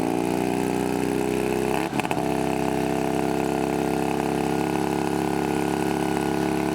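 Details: Shovelhead V-twin chopper with newly fitted S&S carb settles into a steady, fast idle after a brief blip, well above a normal lope; owner suspects a metal spacer pulling the throttle cable held it at part throttle, now snapping back.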